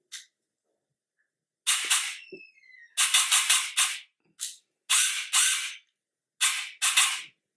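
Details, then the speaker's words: FCC 3.0/3.5 airsoft gearbox test on a Turnigy 1200 25C battery after reseating the motor core (armature) and refitting brushes and motor head: crisp, quick cycling shots in short bursts, clean and even with no grinding or drag; normal firing cycle. "donc là il y a vraiment il y a vraiment aucun problème donc pour le coup voilà"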